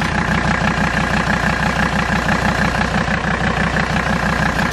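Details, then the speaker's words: Mercedes diesel after Seafoam treatment in fuel and oil: even idle, soft regular clatter about three beats a second, no loud valve tap; engine sounds much better, with some vibration from a tractor flap. "that tractor flap vibrates so bad so whatever you're hearing is that the engine sounds very very good"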